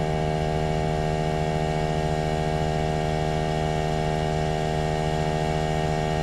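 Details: Trane XV18 heat pump outdoor unit installed December 2021 gives a heavy, steady, unusually loud electrical hum with stacked tones; owner calls it a noisy lemon.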